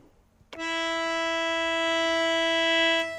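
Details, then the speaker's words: Harmonium, two coupled reeds after filing the flat reed: one steady clean note with no wobble or beat; pair in tune. "so when we play the two notes together they should sound not wobbly inshallah"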